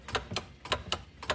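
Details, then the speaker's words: Yamaha golf cart, seat off, key on, pressing the gas pedal in forward and reverse: about six sharp solenoid clicks in under two seconds, no motor spin, won't drive; cause a broken wire at the starter connector, a common factory issue. "it's just clicking. You got nothing. Reverse, we got nothing."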